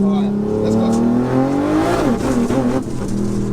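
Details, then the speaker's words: Modified ~1100 hp BMW M240i under hard acceleration: revs climb then suddenly drop and stumble; suspected fuel starvation, fuel pump possibly cavitating. "it's fuel pump that sounded like cavitation or something yeah keep going cuz look listen so it's definitely running short on on field"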